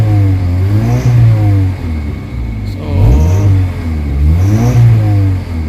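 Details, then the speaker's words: Kia Pride with white smoke, low power and engine vibration, before XADO treatment, warm with aircon on: repeated revving with uneven, shaky, rough beat and strong vibration from engine; rough running under revving, internal engine condition suspected. "Pangit yung ano yung ah under ng engine sobrang lakas na ma vibrate ang lakas ng vibrate oh"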